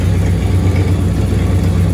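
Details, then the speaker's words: 1965 Cadillac Coupe DeVille V8, freshly rebuilt, warm after 10–15 minutes of running and a short test drive: lumpy, stumbling idle with the engine visibly shaking. A misfire is suspected and spark plug gaps will be checked; there is also slight belt squeal. "Yeah, you can see it shaking a little bit. I need to figure out if that's a misfire or what that is."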